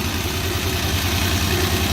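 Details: Suzuki Bolan engine during injector checks: uneven idle with a lumpy low thump dropping out in a steady beat, one cylinder not firing; engine misfire.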